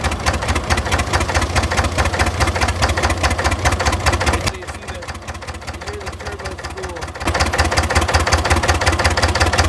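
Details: Engine with hard starting and white smoke, idling with a steady knock riding over the firing beat, quieter in the middle then back. Something is knocking inside the engine; the cause is unknown.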